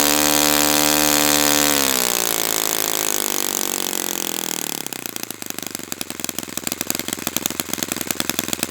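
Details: Brand-new Saito FA-100T twin, break-in run, still warm, no priming or choke; high smooth buzz drops cleanly to a steady, even idle putter with no stumbling. Normal run and idle, called spectacular.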